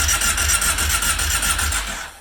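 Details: Kawasaki KFX ATV after carburetors reinstalled, no choke: steady rhythmic cranking at several compression pulses a second, turns freely but never catches, then winds down; possibly not fixed, leak underneath also noted.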